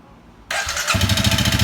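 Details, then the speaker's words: Honda CRF250L, 3851 km, whose engine noise grew louder from new and which recently began stalling; abnormal combustion from old gasoline is suspected. A hollow, rapid knock rides each firing pulse at idle. Piston slap from a broken piston ring with a scored cylinder; piston, rings and cylinder are to be replaced. "ピストンリングが折れてた。ピストン、リング、シリンダー交換ですね。"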